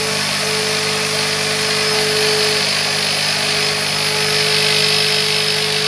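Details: Carpet extractor cleaning the interior of a 2006 Vauxhall Corsa C 1.0 during a detail. The steady high-pitched vacuum roar takes on a strained, changed tone, which signals that the dirty-water recovery tank is full and needs emptying.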